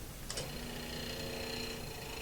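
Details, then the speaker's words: Hollow chisel mortising bit on drill press, chisel raised to leave a gap above the auger to prevent burning: quiet steady motor hum, even spinning, no rubbing or scraping; auger runs freely. "That's not rubbing, that's not scraping."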